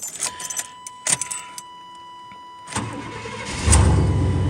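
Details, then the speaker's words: 1992 Chevrolet/GMC truck that previously would not crank and stumbled and backfired, after rerouting a bad coil wire: a few light clicks, then the engine catches quickly and settles into a steady idle, a prompt normal start. "That's pretty good right there. So she's firing right up."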